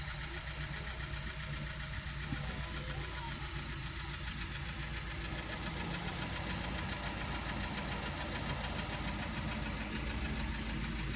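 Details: 2012 VW Passat CC 2.0 TSI (EA888 gen 1, CCT), 189,000 km, 95 petrol, oil changed only every 10,000 km, cold engine, fresh oil: sharp, hard rapping knock of three to four per second over the idle, unchanged; piston knock.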